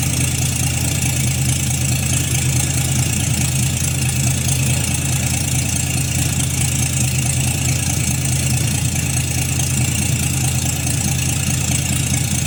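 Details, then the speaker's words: 1952 Chevrolet Styleline 261 inline-six, first start after full rebuild with mostly new internals, rebuilt carburetor, oil pressure slow to rise; steady even low idle with soft regular beat; runs fine. "Acho que já vai pegar lenta, que esse carburador aí eu mandei fazer ele, né? E vamos ver se vai dar pressão de óleo."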